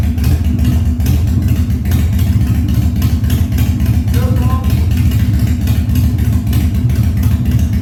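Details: 1997 Harley-Davidson Fat Boy after carb cleaning, new plugs and battery; cold start on choke at 70°F humid, no air cleaner fitted: deep loping V-twin idle, steady and even without stumbling or misfire; healthy idle.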